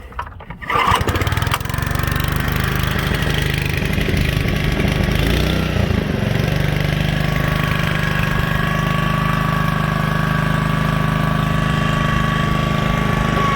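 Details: Honda HRA215 SX self-propelled mower after carburettor cleaning: starts within a second and settles into a smooth, even drone with no surging. Normal running.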